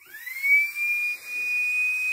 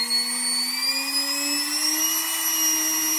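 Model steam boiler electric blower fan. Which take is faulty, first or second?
first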